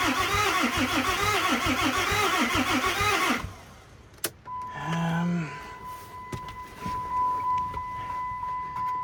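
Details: 2008 Dodge Ram 3500 6.7 Cummins after fresh batteries and key-cycle priming, fuel system believed self-bleeding: steady rhythmic cranking about three seconds with no firing; cranks but won't start, install and bleeding being checked.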